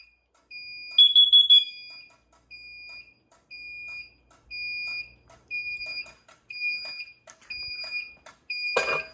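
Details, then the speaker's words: Monthly alarm system test: carbon monoxide detector and strobe activated through a dual monitor module, giving high-pitched beeps repeating about every half second in a quiet room. "let's set off our carbon monoxide strobe I think I actually didn't do it last month so we'll do it this month"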